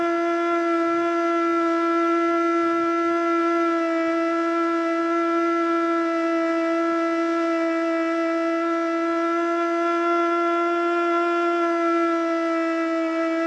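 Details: Older Federal Signal Model 2 siren (old CD box), Princeton NE, alert test: steady howl below full pitch, wobbling throughout, never winding up properly; owner suspects worn brushes.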